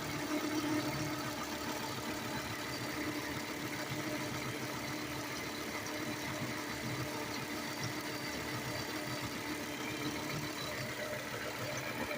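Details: 1998 Volvo S70 base engine, warm, timing belt changed at about 140,000 miles: quiet fast rhythmic chirp over steady idle; owner suspects crankshaft pulley/harmonic balancer area, stethoscope could not pinpoint any pulley.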